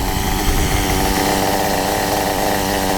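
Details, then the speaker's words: Kyosho MP9 nitro buggy, standard two-stroke engine after tuning, about to run out of nitro fuel: even, buzzy tick-over holding steady speed with no surging or stumbling; idling happily. "just sitting there as happy as can be, ticking over. It's going to run out of nitro in a minute."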